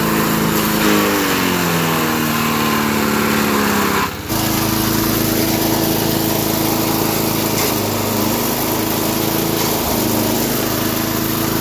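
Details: 1991 all-steel MTD 8hp chipper/shredder, a dump find with a Tecumseh HM80 cast-iron-sleeve engine, running after a new wheel and carb adjustment. Steady single-cylinder roar at full throttle, dipping briefly as material feeds in, then recovering smoothly; runs healthy.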